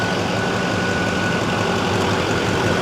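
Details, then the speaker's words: 2006 Chevy Silverado 2500HD LBZ Duramax diesel, 400k+ miles, idling with newly replaced AC compressor clutch engaged: steady idle with faint even whine, no squeal or chirp; AC engages well and moves lots of air. "AC engages real nice. It's moving a lot of air."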